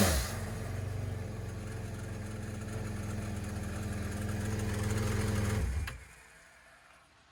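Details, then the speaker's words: Yamaha FX SHO jet ski with an HKS Turbosmart setup, just started on a hot day after installing an intercooler (supercharger replacement planned later). It is a smooth, steady drone with a gentle rev rise and a clean shutoff, running healthy. A housing leak is to be fixed next. "That sounds nice. Whew. It's hot out here."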